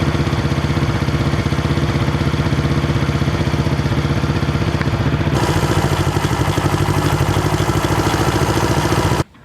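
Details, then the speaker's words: 1970 Honda SL350 twin after air-leak and timing work: it putters at idle with a slightly uneven beat, then picks up when blipped, running not too bad but not perfect; the clutch is still not right. "okay it's actually running not too bad not perfect but the probably has been running you can hear it"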